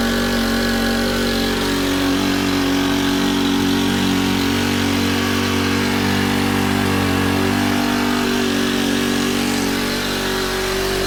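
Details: Honda FG110 with GX25, replacement carb being tuned, idle set high to warm it up: steady, fairly fast idle with even beat, no hunting or surging; normal.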